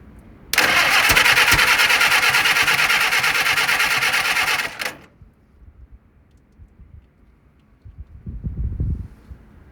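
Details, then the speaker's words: 1948 Willys CJ2A Jeep four-cylinder after decades of storage, timing advanced slightly: catches and runs loud and ragged about four seconds then quits, smoking heavily and pumping oil out a leaking gasket; fires briefly but won't keep running. "That is pumping some oil out. It's trying. Smoking like hell, didn't it?"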